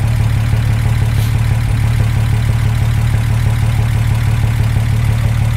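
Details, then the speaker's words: Car's first start after long cranking to build oil pressure, oil spilled on engine causing smoke, missing dog-bone mount so heavy vibration: steady, deep, even idle with smooth low rumble, no knocks or misses; normal idle. "now you're gonna see a lot of smoke coming out of it it's normal because of all the oil and on my hands and everywhere else it's gonna be normal for that to happen it doesn't have the dog bone so you'll see a lot of vibration again it sounds really"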